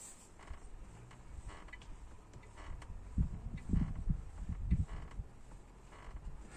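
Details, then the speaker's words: 2014 Renault Fluence, driver-side B-pillar trim rocked by hand; irregular low creaks in short bursts, same creak heard when driving over bumps. Cause unknown, pillar to be dismantled. "как рено флюенс 2014 год имеем вещь в районе вот этой стойки скрип допустим вот дверь можно усилить"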